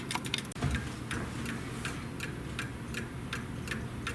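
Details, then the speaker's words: Clock running after adjusting the escapement shaft so it disengages sooner (it had been far out of adjustment); steady, even tick-tock about two to three beats a second, in beat, with a quiet background; more tweaks and a level surface planned. "yeah it wants to run now very much so I think I'm going to tweak it just a little bit more now once you get it on a level surface you'll kind of get a better understanding of what's going on there"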